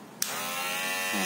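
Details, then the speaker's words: Barber clipper, noisy after months of use, after blade plate realigned, screws retightened and insulating tape added: snaps on, steady even high buzz, no rattle or chatter; quieter than before repair. "jadi suaranya lebih kecil dibanding sebelumnya ya"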